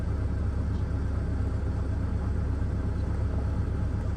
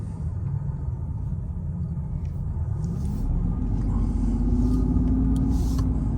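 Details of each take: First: 2005 Mercedes CL600 V12: low rumbling idle with an uneven, lumpy beat about twice a second, misfiring. Fault codes persist after fitting a supposedly new voltage regulator/transformer; cause still unknown. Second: 2005 Mercedes CL600 V12, misfire fixed by replacing the voltage transformer so it now runs on all 12 cylinders instead of six, accelerating uphill: deep, even rumble climbing smoothly with no stumble.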